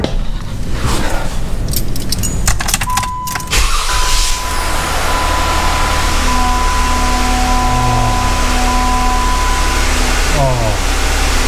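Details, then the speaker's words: 2013 Jeep Wrangler Unlimited after replacing the starter, earlier idler pulleys didn't help: key clicks, brief crank, then a steady, even idle with no grinding; the horrible grinding noise is absent, though it has vanished before. "the noise is not there right now we're gonna have to drive around to do a couple starts because it has disappeared before"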